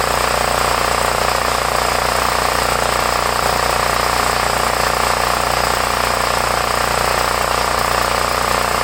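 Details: Homelite 5000W generator, 389cc 13hp engine (possibly Tecumseh), which had a leaking carburetor and was very hard to start, started with choke; steady even drone with fast regular firing beat, no misses or surging, running smoothly with no fuel leak seen.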